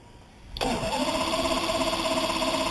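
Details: Evinrude 200 two-stroke outboard with 144 hours, no fault codes, spark and fuel confirmed, and a suspected missing ground from EMM pin 22: starter whine and steady cranking churn that never catches; the engine cranks but won't fire.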